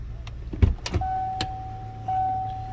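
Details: 1989 Lincoln Town Car sedan, indoors with the engine idling: over a low steady idle, a thin even whine comes in for about a second and a half. The wiper motor runs smoothly, normal operation.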